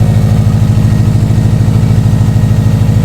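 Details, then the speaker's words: Subaru STI (Launch Edition build) at first start after assembly: steady, quiet low idle with a quick, even puffing pulse riding on it. This is an exhaust leak because a sensor was left out, leaving its port open. "Sounds like an exhaust. It does have a exhaust leak. Because they didn't put this one sensor in there."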